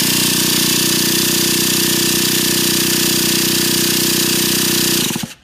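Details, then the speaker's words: Brand-new Traxxas T-Maxx 2.5 nitro RC engine with good glow plug and fresh fuel, but no fuel seen moving through the fuel line; exhaust plugged while starting. Fast buzzy rattle spins about five seconds without firing; cranks but won't start. "all right you guys things not starting not sure what's going on I've looked everything's good fresh gas I'm not seeing fuel coming through the the fuel line to get it going"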